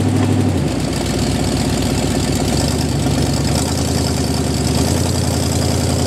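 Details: Jeep M715 army truck converted from fuel injection to carburetor, running after years unused: loud, steady low idle with even, slightly rough rumble, no knocking or misfire; normal idle.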